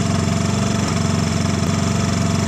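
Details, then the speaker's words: Suzuki Carry 1.0 ex-minibus pickup converted to a Thunder 125 motorcycle engine with a bent motorcycle header and plain pipe exhaust: quick, even single-cylinder putter at steady idle during brief warm-up, no knocks or misses; normal warm-up idle. "Suaranya masih suara mesin motor karena memang pakai mesin motor dan knalpotnya hanya pipa lah teman-teman, bukan knalpot mobil."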